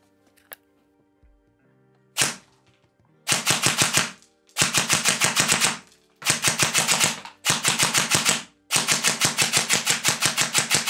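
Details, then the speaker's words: E&L MUR airsoft S-AEG with a Warhead brushless motor, full 12.6 V battery and 0.3 g BBs: twelve-shot-per-second bursts with a gritty rubbing noise, despite gears cleaned twice. The owner suspects bearing holes offset 0.1–0.15 mm. "le voir, cela fonctionne bien, mais il y a toujours ce bruit de frottement."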